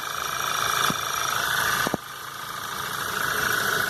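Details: 2011 VW Jetta 2.0 TSI brought in for an odd noise and power loss, noise persisting after a part was replaced: quiet steady idle with a fine fast fuel-system tick and a couple of light clicks, 12 V checked, no fault codes found; sounds normal.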